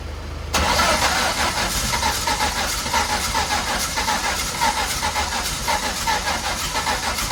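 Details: Mk1 Ford Fiesta with a Zetec turbo engine: catches and runs lumpy with stumbling pulses, needing at least 50% throttle to keep going and spewing oil; running on two cylinders.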